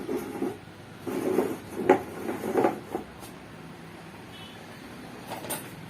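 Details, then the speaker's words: DD Free Dish DTH set-top box with crackling sound caused inside the box, not the TV: irregular scratchy crackles in bursts with quieter hissy gaps. Diagnosed as a faulty audio IC, with replacing the IC as the fix. "आप IC को change करो ये IC की problem है आप इसको change करो"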